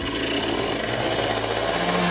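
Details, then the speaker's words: Kawasaki Ninja 150 RR two-stroke with racing exhaust, after cleaning a dirty carburetor nozzle: revved from 1000 rpm idle to 5000 rpm, raspy buzz steady and even with no stumble or hesitation; pulling cleanly, misfire fixed. "ini bisa dilihat rpm nya nih Hai ini di 1000rpm ya untuk stasioner saya coba sampai RPM 5000 Harusnya sih mulus banget ditarik tuh"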